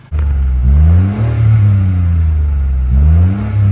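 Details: Mitsubishi Mirage after burning fuel through the rail and injectors: engine blips cleanly from idle, rising and falling smoothly with no hesitation; revs freely, ready for a test run.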